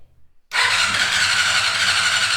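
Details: 1990 Honda CBR600 stored outside for ten years, after fixing a no-crank/no-spark fault caused by corrosion: strong, even high whirr as the starter spins the engine freely with no drag or clicking; healthy cranking.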